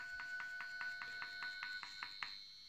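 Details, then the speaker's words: Small brushed DC motor driven by PWM from a Seeeduino XIAO through an L298N H-bridge, speed set by potentiometer: a thin steady high whistle over light ticking as speed is adjusted; PWM switching noise transmitted through the mount, nearly disappearing when the motor is lifted. "le règle de la vitesse on entend un petit sifflement"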